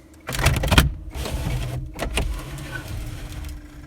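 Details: 1990 Chevy Beretta GTZ with Quad4 engine, just fitted with a battery: short bursts of smooth power window motor whirring as the glass travels, steady speed without grinding or stalling; window works normally.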